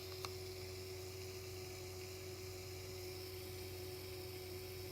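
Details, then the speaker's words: Watercooling pump in Core P3 build with PrimoChill Vue coolant, fed unregulated at full voltage: faint, constant mid-pitched hum with a soft hiss; pump running at full power, louder than usual. "the pump is running at full power usually it doesn't make this much noise"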